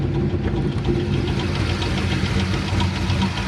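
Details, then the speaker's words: Engine at about 1500 rpm heard from outside before opening the hood: light uneven tick about twice a second over a low rumble, sounding like a lifter; began as a squeak after a shifter break, owner fears engine rebuild, possible metal in oil. "all right so even before i pop the hood you guys can hear that sound like a lifter or something"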